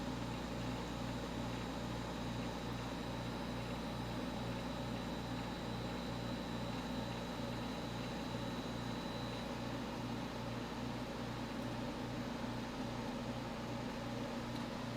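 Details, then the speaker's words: Just-installed 1970s Westinghouse 6,000 BTU window air conditioner starting to cool on a 70°F humid day. A steady low hum with soft, even pulsing and smooth fan rush, no rattles or squeals. Surprisingly quiet: normal running. "I'm amazed. I thought this unit was going to be a lot noisier than this, but that's not the case at all here. It's actually pretty quiet."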